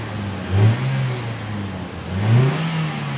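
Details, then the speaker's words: Toyota Vios Limo Gen3 ex-taxi after temperature switch replacement, engine decarbonised and new air filter, revved to warm it up: two quick blips from idle, climbing cleanly and dropping back smoothly; throttle response light and crisp. "Tapi ini enak banget ngegasnya teman-teman. Hampang jadinya. Ringan banget ya teman-teman."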